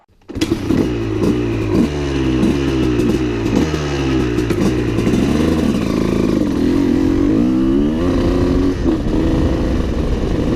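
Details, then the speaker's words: Honda CR250 supermoto with a Mikuni carb, ridden after a smaller main jet was fitted: bottom end and top end rev well, but the engine sputters with a ragged burble through the mid-range. The owner suspects it is still too rich there and may try a 390 main and S8 nozzle. "what I feel now is that it's kind of sputtering out or too rich in the mid-range off the bottom feels great and on the top it's actually revving really good"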